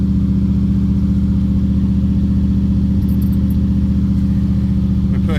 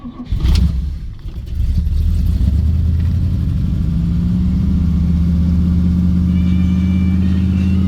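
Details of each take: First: Cold, new choke cable: steady, slightly raised idle with even low beat, not dropping; choke stays fully shut and won't open when cranking, holding fast idle even pushed in; owner feels it running a little lean. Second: Car cold start after starter wire and choke cable fitted: pump, pull choke, brief crank, fires right up and settles into steady, even but somewhat high fast idle; healthy cold start, fast idle a little high.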